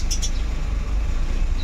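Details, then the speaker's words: Suzuki Every Wagon with hard hot starting and check engine codes: starts on one click, low idle with uneven wavering beat that rises and sags; owner suspects lacking air or fuel supply, fuel pressure to be checked; fluctuating idle speed. "Kaya lang yung ano niya yan naga-plockuatzer yung ano mo RPM nagaganon ganun. Oh ano yun yan oh. Yun nga parang ah kukulangan ng supply yan ng ano ng hangin or fuel."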